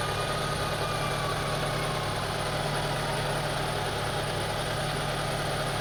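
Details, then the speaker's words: 2002 Honda CR-V 2.4L, rough idle, stalling and rpm going up and down, after deep-cleaning the idle air control valve under the throttle body: low droning idle with a faint uneven shake; not fixed, IACV or throttle body suspected. Rough idle. "See, I cleaned the air control valve beneath there, located beneath the throttle body, but did not solve the problem. Maybe the throttle body is bad, or maybe the air control valve is bad. So, as you see, still the same thing."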